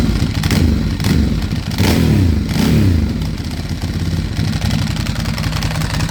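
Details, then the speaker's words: 2008 Ducati Hypermotard 1100S V-twin blipping and settling with an uneven, slightly clattery edge after 2 years of storage, dash warning lights on; owner unsure if the noise is normal. "But overall it doesn't sound too bad apart from the fluff, so I don't know if that's supposed to sound like that."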